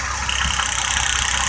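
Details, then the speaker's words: Old V8 running with a vacuum hose substituting for the coil wire: sharp rapid snapping ticks, roughly twenty-five a second, over the idle as spark jumps from the coil lead to ground. "keep it jumping spark up there you hear that"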